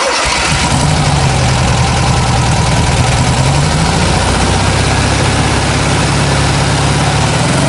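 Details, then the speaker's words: 1967 VW Beetle convertible, 1600cc air-cooled engine with 1901 two-barrel carburetor and dual exhaust: quick crank, catches at once, then a loud, steady, even idle with no misses or knocks; normal start and idle. "we will fire that motor up uh that way at least you get to hear what that 1600 cc motor sounds like"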